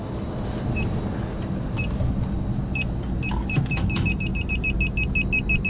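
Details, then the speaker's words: York packaged rooftop unit with one of its two refrigerant circuits down, leak detector probed at the rusted, damaged coil: rapid high-pitched double beeps speeding up to about three per second over fan hum. Refrigerant leak detected at the coil. "it's going off when we go in here there's a leak somewhere in there"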